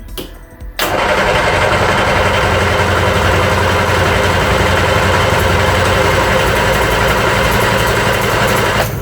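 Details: Reliant Regal Supervan 3 three-wheeler, petrol engine refitted after years as an electric conversion; third start attempt after cleaning cruddy points and checking leads and plugs: long steady starter churn, about four turns a second, no firing; no spark, ignition fault.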